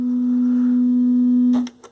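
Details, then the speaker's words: GE SC2310B 8-track AM/FM stereo (about 1972-73), test tone at about 0.5 V on the ceramic cartridge input: buzzy, sawtooth-like tone instead of a pure one; scope confirms one amplifier channel is faulty. "there's also some distortion there [Music] yeah shouldn't sound like that almost sounds like a sawtooth or a square wave"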